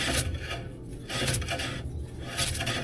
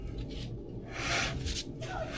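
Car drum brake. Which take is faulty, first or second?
second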